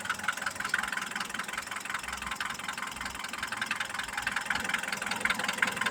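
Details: Mitsubishi Pajero iO with a 4G94 engine at idle: a light, fairly steady ticking knock about 160 a minute over a quiet idle; owner is asking for advice on the cause, still unknown.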